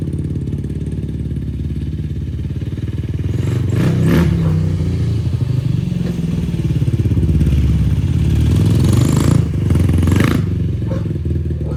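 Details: 2004 Yamaha YFZ450 quad after sitting, carburetor cleaned for a clogged pilot jet and new ignition fitted, on a freshly hooked-up battery: steady, even low thump at idle with clean throttle blips rising and settling smoothly; fan kicks on, not overheating. Normal running.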